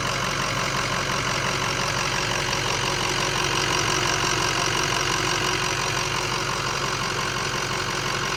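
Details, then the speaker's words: 2005 Ford F250 6.0 Powerstroke diesel with a 10-blade turbo at idle: steady clatter with an underlying rumble and vibration from the front of the engine that nothing touched stops. "it's in today for a weird vibration kind of rumbling noise in the front I'll show you a clip of it right here"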